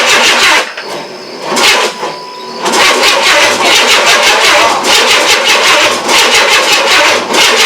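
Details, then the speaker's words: 1994 Chevrolet S10, 4.3L early Vortec, first crank after engine install: starter churns in steady pulses with brief pauses, something stuck, engine never catches, cranking tiring as the battery dies; cause unconfirmed. "oh my goodness we got something stuck try again [Music] trying to make it so it doesn't do that again oh it sounds like it wants to try"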